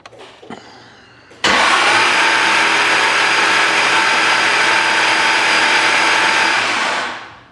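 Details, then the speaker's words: 441 LSX with F-1X ProCharger in a C6 Z06, fuel pump relay pulled, dry cranking to test ProCharger belt alignment after the belt walked off the pulley: steady even starter whir for about six seconds without firing; the belt stayed on. "So I'm gonna do a dry run just to test the Pro Charger belt alignment, because the issue I was having was it was walking the belt off the pulley away from the head unit."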